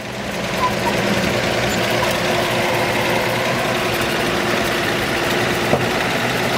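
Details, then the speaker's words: 1941 Chevrolet Master Deluxe Sedan Delivery, restored, showing 6,517 miles, 216 straight-six with oil bath carburetor, 3-speed column manual, inside throttle control: even, smooth idle with no misses or knocking; fires right up, healthy. "Straight 6 under the hood. Fires right up every time. These motors are very reliable."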